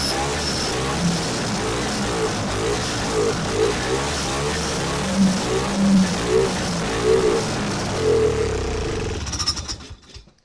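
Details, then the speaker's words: Vintage snowmobile two-stroke, stored since last spring, after trimming the loose fuel line: runs rough and uneven for several seconds, then fades and quits, not drawing fuel; carb to be removed. Fuel starvation. "Well, she's not sucking any fuel. So, we had to go to the same thing. We're going to take the carb off, flip her upside down, see what's going on."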